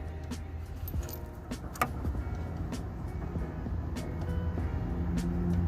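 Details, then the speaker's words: Car on BC Racing coilovers with over 60,000 miles: loose, uneven clicks and knocks as the link is worked up and down by hand from one side; worn sway bar end link, to be replaced with an OEM stabilizer link to confirm. "I'm just gonna put the OEM stabilizer link on, and we're gonna see if the noise goes away."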